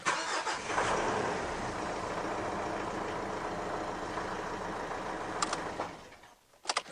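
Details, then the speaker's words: Mitsubishi Triton brought in for a hard-starting issue; battery 93% health, 13.56 V, 765 A available. It cranks briefly, catches at once and settles into an even idle with no misses and no check engine light; a normal start. "check engine light no nothing it's all good"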